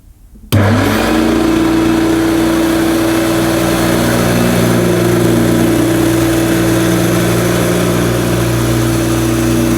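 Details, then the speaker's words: 1971–74 Hoover Dial-A-Matic 1149 upright vacuum cleaning low-pile carpet: loud, steady motor roar with a constant mid-pitched whine, no surging or knocking; owner judges it sounds as it should, just noisy. "i think it does sound probably the way it should sound which is pretty noisy so apologies for you headphone viewers or listeners"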